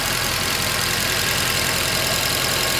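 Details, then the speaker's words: Mercedes C63 after thermostat, pipe and coolant work, just restarted and warming up with catalytic converter fitted: steady fast-ticking V8 idle with bright hiss, no misfire or stumble, lifters expected to quiet as they fill; normal idle. "Yeah, beautiful, not bad. You're gonna come more quiet."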